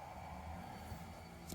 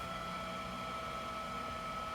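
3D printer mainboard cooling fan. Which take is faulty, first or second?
second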